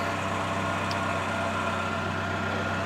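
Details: 1999 Ford Ranger 2.5 L inline four-cylinder, two-wheel drive, about 16,863 miles: even, steady idle with a smooth low hum and no knocks, misses or squeals; owner says it runs really good.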